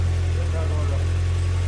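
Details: Nissan Sentra SE-R four-cylinder after rebuild and fuel tank and fuel line fix, first running, no throttle cable yet: deep steady low hum with even beat, nothing irregular; normal idle.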